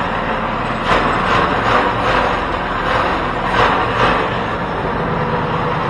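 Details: Home-built 424cc inline twin from two Predator 212 engines, first run with carb needle clip at middle setting: fast, busy idle with uneven pulses and raspy exhaust; idle too high, owner plans raising clip so needle drops for lower idle.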